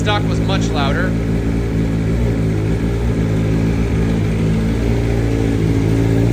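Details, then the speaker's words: 2023 BMW M1000RR Competition with free-flowing exhaust, after flashing the tune, first start: low, steady, even burble with no popping or rasp, quieter than stock flash; normal idle. "louder really sounds good now doesn't have that crazy raspy sound that pops now just has a nice low idle"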